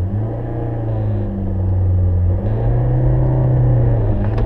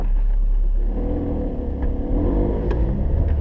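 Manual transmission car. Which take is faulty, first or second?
first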